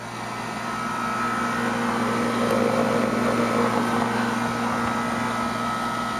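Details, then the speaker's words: Mitsubishi Electric Mr Slim inverter heat pump outdoor unit running at low rpm, compressor barely audible, likened to a drink machine: steady low hum, faint even whir, soft airflow hiss, no rattles; normal quiet running. "let's see if we can hear the compressor i don't know if you guys can hear it it's it sounds like a drink machine or something like that you're standing in front of so it's quiet that's the gist of it"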